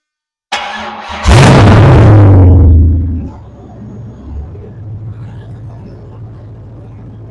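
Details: 6.0-litre LS V8 on a homemade engine test-run stand, test start before installation: brief starter crank, then it fires, flares up loudly and settles into a steady, even low idle; healthy engine.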